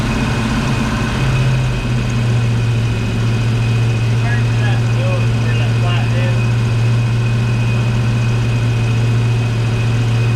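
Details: 1970 Ford Mustang Mach 1 V8, first start in about 40 years, second attempt with a little gas: deep, steady low rumble at an even idle, no knocks or misses. Smoke likely from burning off Marvel Mystery Oil thrown around during cranking. Normal idle.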